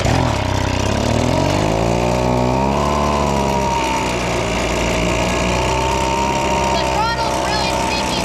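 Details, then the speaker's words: Old, abandoned Echo leaf blower, a two-stroke: revs climb and hang high instead of returning to idle, even with the trigger untouched. The throttle is sticking; the planned fix is silicone lubricant on the trigger. "it's roing well it ran pretty decent but the throttle is very sticky"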